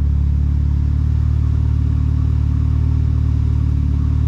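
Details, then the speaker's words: Volvo 740 Turbo at 250,000 on the clock, after new spark plugs and a cleaned MAP sensor (it had misfired occasionally before). Steady, even idle with a smooth low thrum and no stumbles; now running solid. "now it's running really solid i can show you this thing is so impressive by the way it starts first crank every time"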